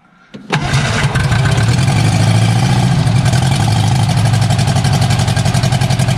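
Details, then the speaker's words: Barn-find Austin-Healey Sprite engine, first start with chokes held, ignition hot-wired from battery, no exhaust past manifold: cranks, catches in half a second, settles into strong, even firing beat with no misses or knocks; starts and runs well. "actually it sounds not too bad it does not have any exhaust on it right now"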